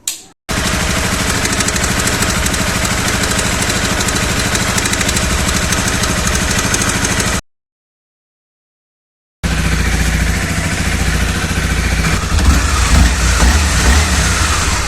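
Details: Honda CBR250R single-cylinder after camchain tensioner replacement: even idle with clean throttle blips and no top-end tapping; runs smooth and healthy, tick fixed.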